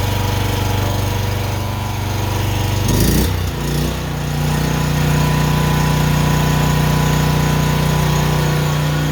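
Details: Honda generator, a previous no-start, after a carburetor clean, oil change and fresh fuel, started on choke: a brief surge, then a steady, even drone at constant speed with no hunting or misses. Idles perfectly.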